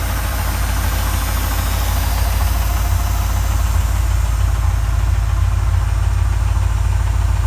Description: Has an engine knock, but will be getting some restoration work done over the next couple of years.